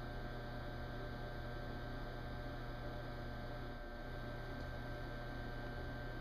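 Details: Garbage disposal deliberately run to failure after its bearings were torched: it smokes and has chunks missing from the rotor, yet a constant deep, strained electrical hum drones on with no grinding or pitch change, and it still won't die.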